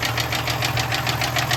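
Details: 1996 Toyota Tacoma 3.4 5VZ-FE at low-rpm idle with very low oil pressure: a sharp, regular knock about five per second from a worn rod bearing.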